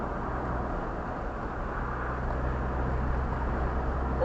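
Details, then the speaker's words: Land Rover Discovery 2 TD5 diesel on the road after turbo wastegate replacement for power loss at 3,000 rpm uphill: steady low diesel drone with road rumble, smooth and even, no knocks or whistles; normal. "listen to that thing doesn't it sound beauti beautiful"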